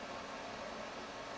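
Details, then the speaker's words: Suburban furnace blower running normally with a soft, steady airy whoosh and no scraping or squeal, after its faulty 90-degree-reading wall thermostat was replaced with a Suburban 161210 that reads 70. Propane status unknown. "I don't know if she has a propane on or not but it's running it's working turn it down"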